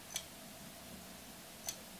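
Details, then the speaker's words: External 5 TB 2.5-inch hard drive (not an SSD) on a USB-C hub's USB 3.0 port, giving two sharp clicks about 1.5 seconds apart because it is not getting enough power to spin up. "least i hear the heart is clicking a bit it's a two and a half hard disk not an ssd or something like this but apparently it's not getting enough power"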